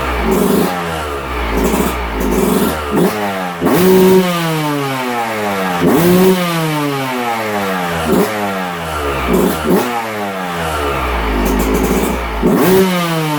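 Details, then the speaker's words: 2022 Yamaha YZ125 two-stroke, low hours, after a top-end rebuild following a broken stock cast piston, after a full heat cycle: crisp blips rise and fall cleanly with the throttle, with no rattle or bog. It runs healthy. "she's doing good the shop is smoky i just did a full heat cycle on her she's all smoking smoked up butt seems to be running good motor sounds good"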